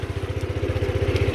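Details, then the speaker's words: Kymco Agility 50 two-stroke scooter just kick-started (electric starter only clicks): low, uneven idle with fast regular pulses, slow to settle; revs do not return quickly to idle. "par contre il monte pas vite au ralenti."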